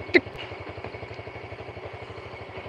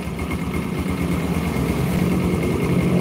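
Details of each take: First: Yamaha Jupiter Burhan air-cooled single after engine work with non-original piston set slightly loose, hot idle: light regular tick on each firing beat; minor piston tick, acceptable. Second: Yamaha Jupiter Burhan motorcycle idling: faint light tick about three a second, slowly louder, suspected connecting rod problem; separate whirring attributed to primary gears; engine ticking at idle.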